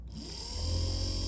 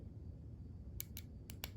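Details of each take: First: Porsche 924/944-type windshield wiper motor, rebuilt from a seized state and bench-tested: it spins up into a steady low hum with a faint high whine at high speed, running smoothly and normally. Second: Porsche 944 windshield wiper motor removed from the car and powered directly from a battery: sharp, irregular clicks with no spinning hum; the motor is seized and needs a rebuild.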